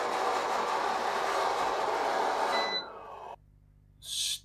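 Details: Eufy RoboVac 30C, reassembled after a loud grinding fault blamed on a crumpled gear: steady, even whir of the suction motor and brushes with no knocking or grinding, then it spins down. Running normally.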